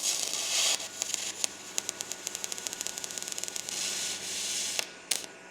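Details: R Tech 181 digital MIG welder, first use, earth polarity uncertain (negative vs positive), welding mild steel: the arc gives a hissy crackle that breaks into uneven pops and sputters instead of a steady buzz; erratic arc, cause unclear.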